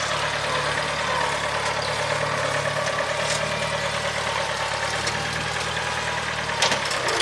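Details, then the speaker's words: 1975 International Harvester 574 four-cylinder after carb main jet set to 0.055: low, even rumble holding steady with no misses, knocks or hunting and no black smoke; running smoothly. "all right we're doing fantastic here so we going to give some Trel no black smoke amazing throttler sponse I think we're dialed in so 55,000 is on the main [Applause]"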